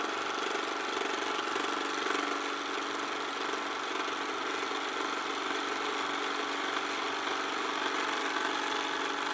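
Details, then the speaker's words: Canon Scoopic 16M 16mm camera after repair, slowing from 24 fps and struggling for sync near the end of the film spool; high motor whir with faint uneven flutter, labouring; owner suspects something still needs lubricating. "Now it's beginning to slow down just a little bit. So nearing the end of the spool again, it seems to be struggling a bit for sync."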